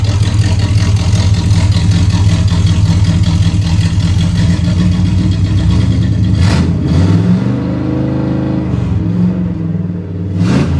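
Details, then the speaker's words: Pontiac Firebird Trans Am carbureted V8 after lowering the high float level and raising the idle; steady loud drone, then on a hard throttle blip the note sags and stumbles before slowly climbing. Still bogs on hard throttle, cause unknown. "Kind of successful. Still bogging down like crazy. I'm not sure what that means."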